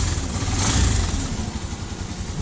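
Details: 125 cc motorcycle test ride after repairing a failed third gear and melted pilot bearing: steady low thump with a brief rev blip, sounding normal.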